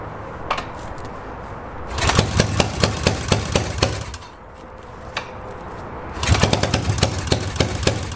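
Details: Yamaha XS650 twin, first start in 25 years on rebuilt stock carbs: ragged uneven revving bursts, lumpy irregular firing between lulls. One exhaust stays cold; owner suspects one carb not working, one cylinder dead; a spark plug wasn't fully in.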